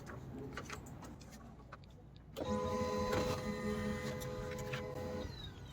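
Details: HP LaserJet M1005 MFP test print after fixing continuous 'initializing' problem: soft clicks, then steady motorised whir with even rolling tones for about three seconds as the page feeds cleanly; printing normally.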